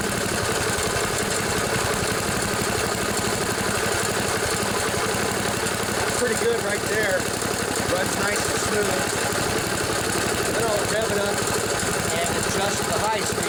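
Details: 1974 Sears Craftsman Rotospader rototiller, Tecumseh engine, new carburetor fitted after barn storage, rough-tuned with the air filter still off. Steady fast patter, no stumbling or popping, holding speed evenly: the old machine runs pretty good.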